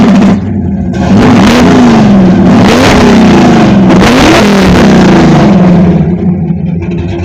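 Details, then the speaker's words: Cammed GMH 5-litre V8 with Fitech fuel injection and extractors, never properly tuned, before tune: lumpy loping revving with uneven cammed idle and lazy response; running way too rich, needs a tune. "It's never been tuned properly on this, so it's still way too rich."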